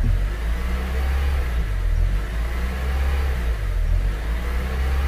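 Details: Second-generation Honda CR-V with cable throttle body at warm idle, coolant 90, no check-engine light or codes: idle swells and sags about every two seconds while looping open/closed; idle hunting.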